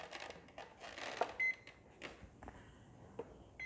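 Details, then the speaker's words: FMS Fox 3m plane, battery plugged in for receiver binding with transmitter off: short high-pitched beeps in a quiet room; normal ESC startup beeps. "okay so it is plugged in okay we hear the beeping that's a good sign"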